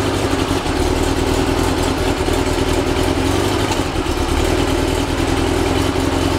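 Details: Rebuilt 1835cc air-cooled VW flat-four bus engine with vintage speed muffler, first start after rebuild, not yet tuned: even, steady idle with a low throb, no misses or knocks; ran with no real problems.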